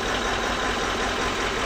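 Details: Land Cruiser V8 1VD diesel after timing fix for hard starting: constant even low drone with steady clatter, no misses or knocks, now starts easily; normal diesel idle.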